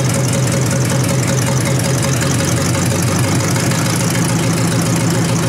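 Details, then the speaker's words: 1953 Hemi V8 idling after dirty oil was drained and it was restarted: even rumbling idle with a faint background tick from the mechanical fuel pump; oil pressure good, normal idle. "Really good, I think. Don't get no better than that, does it? Oh, I like it. I like it a lot."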